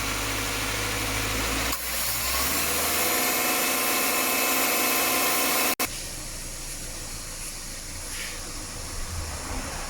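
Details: Subaru at 68,000 km, after repair of a noisy AC compressor and uneven left/right cooling caused by a leaking evaporator losing compressor oil: smooth, even idle hum with no rattle or grinding from the compressor; AC quiet and healthy.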